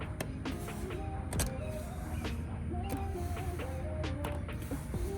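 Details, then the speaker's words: Garage door with a 21-year-old chain-drive opener jerks and shakes when it first opens. The opener hums steadily while the side weather stripping sticks and lets go with sharp irregular cracks and squeaks. Owner blames summer humidity and rain. "The weather stripping on the side starts to stick to the door. Listen. Can you hear how it's sticking?"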